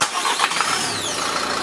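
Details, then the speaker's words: 2017 Dacia Duster diesel after service with new fuel filter, air bled from fuel circuit after priming: brief crank, quick catch and steady even idle with no stumble, normal start. "ça démarre bien bon B a priori c'est bon"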